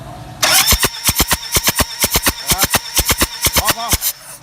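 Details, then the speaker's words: Toyota Fortuner diesel with rough idle, shaking and white diesel-smelling smoke, injectors checked fine, compression test on cylinder 3 (cylinders 1 and 2 read 250 and 200): even cranking pulses with no firing; low compression in one cylinder, engine rebuild planned. "อาจไม่ขึ้นเลยนะครับที่นี่มันก็จุดระเบิดไม่ได้ว่าจุดระเบิดไม่ได้ควันขาวนั้นก็ออกมาปนกับลูกอื่นกลายเป็นกลิ่นน้ำมันโซล่าแทนนะครับ"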